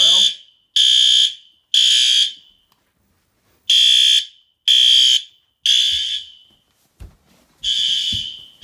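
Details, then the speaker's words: Hardwired 24 V System Sensor CO detector tripped during a fire-alarm panel test: high-pitched half-second beeps in uneven bursts, with a five-second delay before the strobes activate; carbon monoxide alarm test activation. "I forgot that I put a five second delay on the CO detector for when it activates the one strobes and that's so if I'm in that area I'll hear it beeping before it goes off so I know it's Co"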